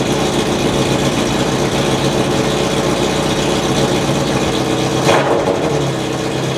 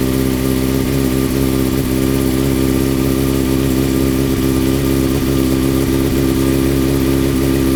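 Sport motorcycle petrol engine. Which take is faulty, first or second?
first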